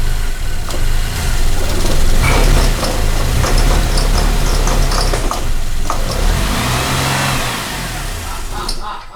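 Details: 2008 Cadillac CTS 3.6 L direct-injection V6, six months after a timing chain replacement: uneven, stumbling run with surging revs and rattly, erratic firing from bad cam phasers; all four phasers and the thrust washer are replaced.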